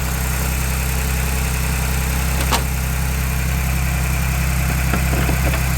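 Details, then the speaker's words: 2022 Ford Bronco Badlands 2.7L EcoBoost, cold start in a garage with the hood open: a steady fast cold idle with light, even ticking from the injectors and high-pressure fuel pump, plus a faint transmission whirr. Normal. "so you can hear a little bit of whirling coming from the transmission and you can also hear that loud ticking we were talking about and some of that's the injectors and some of that is actually the uh high pressure fuel pump"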